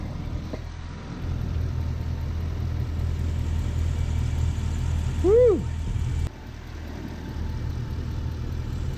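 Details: Lexus 1UZ-FE V8 first start after being fitted into an LS400 body: a steady, even low rumble with no knocks or misses that settles into a smooth idle. Normal idle.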